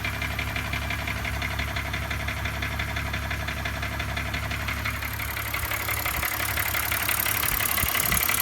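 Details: 2005 BMW 325i with M56 engine at idle: fast, fairly even metallic rattle, about three per second, over the engine hum; source not pinned down.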